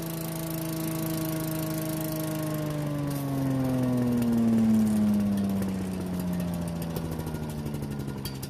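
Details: Yardman walk-behind leaf vacuum/mulcher, small single-cylinder engine, after freeing a stuck carburetor part: runs continuously, pitch easing down as it settles and warms, no stumbling or missing; runs fine.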